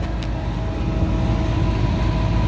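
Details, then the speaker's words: Office AC unit not cooling, at startup with total current about 19 A: compressor gives a steady even low hum and rumble with no knocking, rattling or squealing; running normally, refrigerant pressures a little low while stabilizing. "Let's see what the well, we'll go over here and see how my compressor's doing. Everything's running, sounds good."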